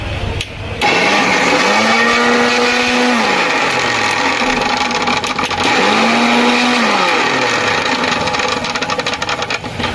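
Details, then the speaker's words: Mixer grinder after tightening the jar's coupler: starts and runs with a steady high motor whir, no rattling or grinding from the jar, much quieter than before. "यह देखिए पहले से तो बिल्कुल बहुत ही ज्यादा अच्छा हो गया है"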